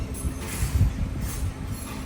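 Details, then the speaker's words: Toyota Corolla driving with a deep, uneven droning rumble from a worn front left wheel bearing, confirmed with the car lifted; the tyre also makes some noise. "E o problema realmente fez barulho, ele suspendeu o carro e fez o barulho de suspensão, de rolamento."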